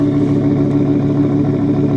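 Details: 2005 GMC Savana conversion van sold as a non-runner, which eventually started: a steady, even V8 burble holding without throttle, no misses or knocks. Normal running.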